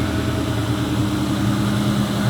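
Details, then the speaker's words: 2003 Ford Mustang SVT Cobra Terminator V8 after NGK TR6 spark plugs swapped for WOT issues; steady even low rumble, regular beat, no misses, occasional bloop, no leaks. Normal idle. "Sounds good, no leaks. I'm gonna take this car out for a drive in a few minutes, but I just gotta move it for now. Alright, so it seems to be idling about the same as it was before."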